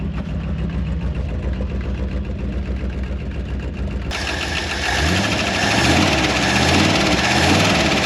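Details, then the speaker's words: Early-1960s Ford F100 unibody shortbed V8, first run after 25+ years abandoned in woods, loud exhaust at idle; light quick ticking from lifters a little on the noisy side, oil pressure good at over 60 PSI, burning off debris from exhaust. "I think it'll clean up sound all right motor sounds good lifters are a little on the noisy side great oil pressure though over 60 PSI"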